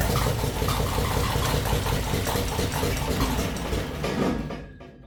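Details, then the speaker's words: 1966 Jeep CJ5 after its wiring was repaired to cure a short and no-spark fault, running on a little gas poured in with no fuel system yet and a broken plug wire: it catches and runs a rough, uneven chug briefly, then shuts down. "All right, she starts now."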